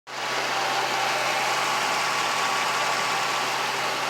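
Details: 2003 Mercedes-Benz after repairing vacuum leaks and cleaning the throttle body: even, steady hiss and hum with no hunting or stumble, a stable smooth idle.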